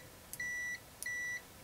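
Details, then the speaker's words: AstroAI new low-cost TRMS multimeter (M2KOR 2000-count or M4KOR 4000-count) continuity test: three clean, quick high beeps, fast response and not too loud; normal continuity beeper. "pretty fast so sounds good and it's not too loud so if you're working somewhere where you don't want to bother people it's not that loud"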